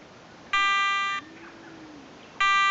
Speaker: okay it's running through the frequency scan process now just scanning all the available frequencies and it's going to pick the quietest one